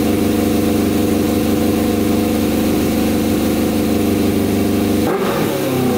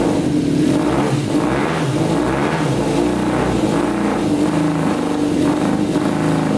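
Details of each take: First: Custom 100 hp Yamaha Banshee two-stroke, tank lacking a fuel pump filled nearly full: crisp, even idle and very high revs, cutting off sharply at the end, no knocks or misfires; normal idle and revving. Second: Custom 100 hp Yamaha Banshee two-stroke quad, first start with the fuel flowing through the filter: uneven, lumpy, pulsing revs like some cylinders aren't firing. The owner suspects the two middle carburetors aren't getting gas, possibly stuck needles, and plans a carb cleaning.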